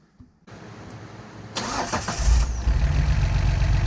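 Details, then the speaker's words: 1973 Datsun 240Z with rebuilt L24 inline-six and carburetors, first start after reinstall on a hot day: cranks, coughs from the carbs while the bowls fill, then settles into a smooth, even low idle. Not revved due to camshaft break-in. "a little cough out of the carburetors still getting the balls filled up but listen to this exhaust note I can't really rev it because I got a break in the camshaft"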